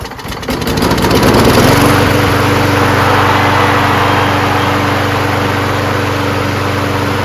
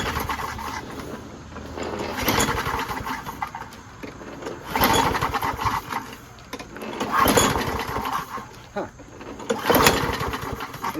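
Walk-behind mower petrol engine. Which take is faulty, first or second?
second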